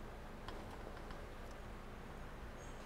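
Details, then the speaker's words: Water hammer demonstration rig with about 200 ft of copper coil and a quick-closing discharge valve, surge suppressor switched in: low steady flow rumble, faint clicks, no bang or shudder as the valve shuts, so the suppressor prevents the pressure spike. "as you see nothing happened we protected the system we protected the operator the people we preserve product we made the EPA happy all by this device that absorbs that shock and prevents a pressure spike that can be so damaging to the system"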